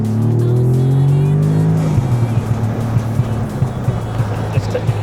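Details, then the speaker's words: Rebuilt Audi S3 driving in dynamic mode with the sunroof open: revs fall on throttle lift, then rapid uneven pops and bangs on overrun from an aggressive map the owner plans to change. "cuz soon as you um even put a little bit of throttle on and loose off, it just starts making loads of pops and bangs, which a for me."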